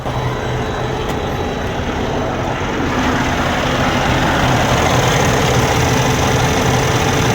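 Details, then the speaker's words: Cummins ISX 15 diesel truck engine with intermittent power loss, started right up after roadside fuel filter change (filters primed, no other priming needed); loud, even diesel clatter and rumble at steady idle without stumbles, normal idle. "all right let's start let's see what happens sure amount of gear that's annoying started right up guys"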